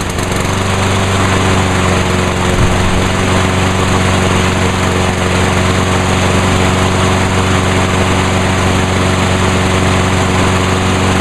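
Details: Craftsman mower after fuel line replacement, fuel valve on, no leaks; steady, even single-cylinder drone holding one speed with no misses, surging or knocks; runs healthy.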